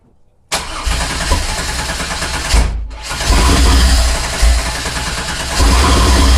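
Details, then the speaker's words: 1987 Fiero GT with swapped 3800 supercharged engine: long steady cranking, brief pause, more cranking, no catch or fire; crank no start, fuel not reaching the engine. "For those of you who haven't done this before, right now we don't have our fuel pump hooked up because the previous owner did a different kind of route to doing the fuel pump."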